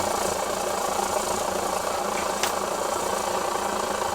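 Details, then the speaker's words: 8R stove relit right after being turned off, while still hot: steady, even roaring hiss with no sputter or surging; normal burner roar. "if you only just turned it off you can turn it back on you'll hear it hiss and away you go"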